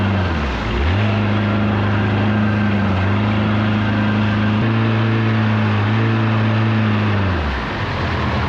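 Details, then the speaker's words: 1979 Evinrude/Johnson 35hp outboard on the water under load after tune-up and adjustments: drone climbs then holds flat at a modest pitch instead of running up further; adjustments failed, not reaching wide open throttle. "well the adjustments I made were no bueno it's not getting to wide open throttle so that's not good"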